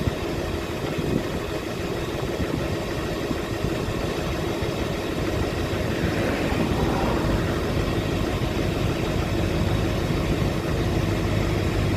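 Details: 2006 Chevy Silverado LBZ Duramax diesel with DSP5 switch and tune, original 3.5-in exhaust before 5-in swap, cold start after sitting overnight in the 20s °F (upper 50s now): catches and settles into steady idle, low rumble, light clatter, no misses; normal cold start.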